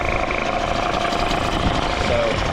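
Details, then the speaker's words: Small two-stroke outboard, idle screw at about half turn, pumping a good water stream: steady, even buzz with no stumbles or surging; idles cleanly and settles smoothly. "that's about pretty good right there. That's actually peeing really good water. Like I said, these motors are a little bit indestructible."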